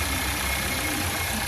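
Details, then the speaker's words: Warm 1.5 EVO Volkswagen T-Roc at high idle with a constant airy hiss from a brake servo vacuum pipe snapped off the manifold. Covering the pipe restores a normal low idle; the leak causes the higher-than-expected RPM fault code. "Now if I put my finger over it, then you can hear it's quite high and hopefully you can hear the hissing."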